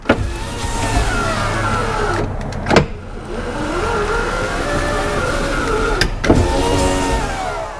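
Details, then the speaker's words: Toyota Land Cruiser 80 Series left rear window regulator, reinstalled after repair and run from the door switch with the ignition on: a smooth motor hum through each travel, stopping cleanly at the ends with no grinding. The power window works normally. "So let's see. Oh, yes! Oops, nearly caught with microphone wire. Look at that. It bloody works."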